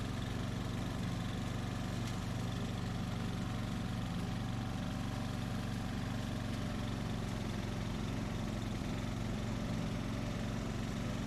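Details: 2004 Craftsman 30-inch mid-engine riding mower built by Murray, after a new piston and connecting rod and a kill-wire short fix, mowing: steady fast single-cylinder thump under load, no rattle or knock; normal running.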